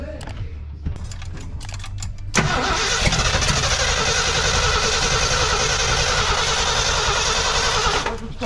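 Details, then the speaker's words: 1968 Ford F-250 390 V8, sat nearly 10 years, new carburetor, coil wired direct to battery, manual fuel pump from a tank: starter cranks unevenly, then a loud steady rush; no start, no fuel reaching the pump yet. "Is there anything in that pump? Here. Nothing. Ain't got no gas in it yet. Nothing in it yet. It ain't got no gas in it."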